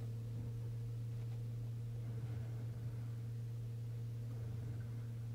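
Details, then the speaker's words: BMW F10 diesel during fuel system priming/bleeding via ISTA+: steady low electric hum of the in-tank fuel pump with faint gurgles of air being moved in the second stage; normal fuel pump running. "those things are more noticeable once this process goes into the second stage and the fuel pump will will move even more fuel"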